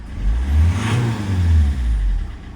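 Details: Citroen C5 estate, code P0215, starts reluctantly when cold: engine revs up and falls back twice, rough and uneven, with plumes of white smoke; rough running, leaking injector suspected, not confirmed.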